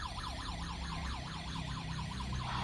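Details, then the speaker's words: Kerui GD13 combustible LPG gas detector set off the central alarm: a loud fast siren sweeping up and down about three times a second, heard in the room, kitchen and outside, sounding until the sensor clears of gas. "yang di dapur juga kedengaran ya kedengaran cukup keras dan kita lihat yang di luar bunyi juga gitu ya"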